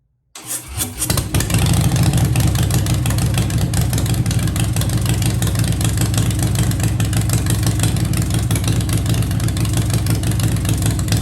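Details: 2015 Harley-Davidson Breakout with Fuel Moto 110 kit (10.5:1 pistons, Level B heads, Woods 777 cams, 55mm throttle body): cranks, catches fast, steady even loping idle, no misses.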